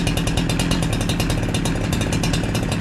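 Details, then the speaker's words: NEO-TEC NH872 71cc chainsaw (Husqvarna 372XP clone) after turning the idle screw down: a fast, steady two-stroke idle with the chain not moving, still slightly high but even and acceptable. "you hear it come down a little bit sounds a little bit better all right it's still sounds a little bit High I think it come down a little bit but I'm afraid to stall it out so I'm okay with that"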